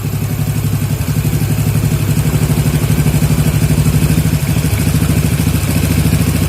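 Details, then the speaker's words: Yamaha Jupiter MX (old model) with a worn, previously rebuilt carburetor, during carb setting: the single cylinder putters steadily and evenly with a slight clatter. The idle screw has been turned right to raise idle from about 1300 to about 1600–1700 rpm before adjusting the air screw. "Kira-kira kalau putaran standar itu 1300, kita naikkan sekitar 1600 atau 700 ya. Ke kanan ya putarannya."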